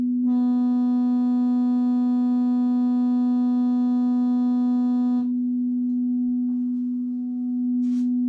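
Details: Medion 65-inch TV with crackling sound, compared against an external speaker: steady clear tone then a quieter pure tone, no squeak or rattle; normal speaker playback.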